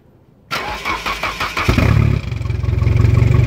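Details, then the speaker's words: 1989 Nissan Axxess, 485,000 km, first start in 5 years after sitting: catches after a short crank into a rough, loud, pulsing idle; straight pipe, suspected manifold leak. "no way straight pipe too that's a manifold Le something"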